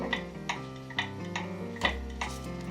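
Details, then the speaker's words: Early-1900s Seth Thomas kitchen clock movement on a test stand with a beat amplifier, before adjustment; sharp ticks alternate short and long gaps (about 0.38 and 0.48 s), an uneven tick-tock showing the clock is out of beat. "you can hear there it is not in beads it's not an even tick-tock"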